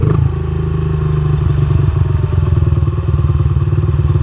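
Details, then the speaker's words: Dirt bike carburetor with mixture screw set half a turn out: single-cylinder thump eases slowly down after a rev, still a slight hanging idle but less than before; turning the screw in went richer, so it is most likely an air screw. "So, it has still a little bit of a hanging idle, but not as bad. So, that tells me that we probably went richer on the air-fuel mixture."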